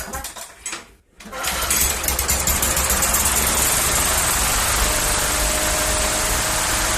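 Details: 2012 Yard Machines 11A-A54R729 push mower, Briggs & Stratton 158cc 500 Series, new HIPA carburetor and tune-up kit; restart after about an hour and a half, quick pull then crisp, even single-cylinder chatter at steady speed: warm start normal.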